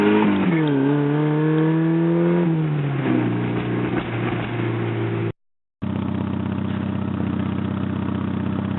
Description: Porsche 944 NA 1986 with an exhaust leak before the cat....I like the sound so I kept it.